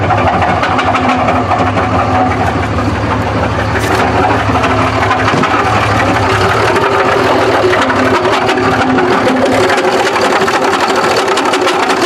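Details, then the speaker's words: Diesel truck (2005 Duramax or 2006 Cummins) first run after replacing the crank sensor: rough, heavy deep knocking throughout; engine knock, motor judged ruined, connecting rod suspected but unconfirmed, truck to be parted out. "oh God that does not sound good oh no Eddie I think this motor's pooched"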